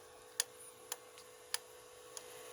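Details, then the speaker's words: Tronxy XY2 Pro Titan 3D printer: sharp, uneven clicks about two a second over a quiet hum while the filament briefly moves back; extruder clicking or knocking, cause unknown. "It's like you can hear it though. There's like a knocking noise. I'm not sure where that's from."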